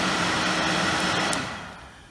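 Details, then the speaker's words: Suzuki Quad Runner ATV, thermatic electric cooling fan tested on the rewired handlebar switch: an even whirring hum that then winds down as the fan switches off; battery voltage drops from 12.4 to 11.3 V while it runs; the fan runs normally. "i've got the thematic fan i didn't try that while we were pissing around a moment ago you can hear that coming on and off"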